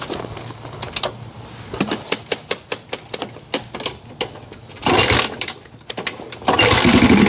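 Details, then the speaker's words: 1987 Honda 250X ATV engine idling after pilot jet tuning: sharp light ticking, valves tapping louder than a Honda should; excess valve clearance, rockers to be adjusted to spec. "I do need to check those valves. They're tapping a little louder than a Honda should."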